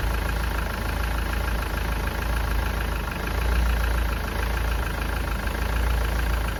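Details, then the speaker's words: Engine idling during a head gasket test with a combustion leak tester checking for exhaust gases in the coolant: uneven lumpy wavering beat under a steady low rumble; engine not running right. "But you can hear the engine's not running right."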